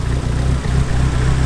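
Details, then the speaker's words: Supercharged BMW E36 with a stock cam, just after a cold start with the alternator now charging at 14.1 volts: the idle hunts with an uneven, lumpy beat and occasional dips, like a big cam. It always idles hesitantly; cause unknown. "Still, like, your car always has a hesitant idle no matter what we do."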